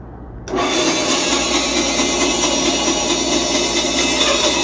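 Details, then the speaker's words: Grizzly bandsaw resawing boards: motor spins up, then steady coarse rasping as the blade feeds evenly; slow, loud, dusty but normal, healthy resaw cut. "It's a very slow process. It's loud, it's dusty, but I'll be pausing it a lot along the way."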